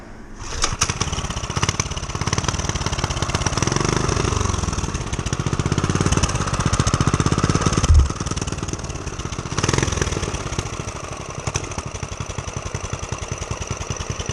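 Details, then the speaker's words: Homemade turbocharged single-cylinder pit bike started after adding fuel: rapid popping beats, revs swelling and dropping, then it keeps running, a normal start and run. "So it runs."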